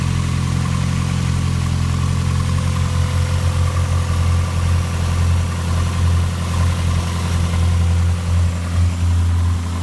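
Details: Toyota Celica idling with no alternator whine: smooth steady idle, even low hum and no whining tone on top; engine and charging system sound normal.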